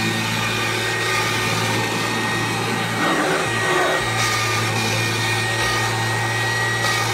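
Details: 1997 Kirby G5 upright vacuum with a metal fan sent by a Kirby collector, run with no dirt: a steady high motor whir, even tone, no rattles or surging; owner says it sounds like a vintage 500-series Kirby; normal running.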